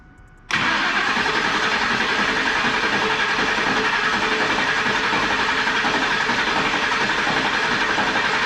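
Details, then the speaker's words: Newly built turbo engine in an F150 before first start, throttle held fully down to kill injectors and coils: steady fast starter churn, three to four beats a second, no firing, building oil pressure; cranking without firing. "Okay. Hold the throttle all the way down, kills the injectors and the coils. Yeah, I just saw oil pressure on the dash, so this one's going to be fire up."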